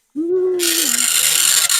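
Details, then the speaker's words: Commodore 1525 dot matrix printer for Vic-20/C64, never tested before, tractor-feed paper, running self-test mode with noise cover on: short rising tone, then loud continuous rasping chatter as the head prints; harsh but normal printing. "in fact here [Music] these things are loud this was the thing that was supposed to protect us from the noise and indeed it does do a little bit"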